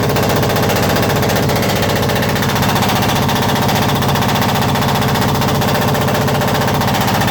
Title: perkins engine 1103 GT intek manifold misfire problem #shots